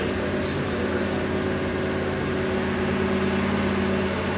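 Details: Fresh big-block V8 on an engine dyno, second run sounding better: a loud, steady, even roar with a smooth constant pitch and no stumbles, running normally.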